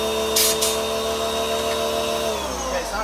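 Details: 2024 Mustang GT detailing setup, wall-mounted pressure washer just hooked up and first started: a steady whirring hum with an airy hiss like a vacuum cleaner, pitch sagging as the pump catches; abnormal vacuum-like whine at startup.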